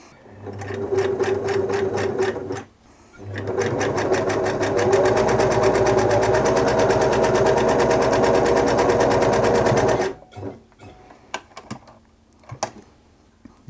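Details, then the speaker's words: 1974 Singer Genie 354 sewing machine after service, straight stitch test at stitch length two to three: steady stitching with a light loose rattle each stitch; bobbin case rattle, likely too much clearance between bobbin case and metal plate. "you might be able to hear that's quite rattly there i think that's this bobbin case just rattling a little bit here"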